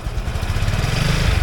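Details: Scooter with CVT stalled after riding through floodwater, water still being expelled while starting and revving; uneven low throbbing, stumbling beat; rough running and repeated stalling from water ingestion.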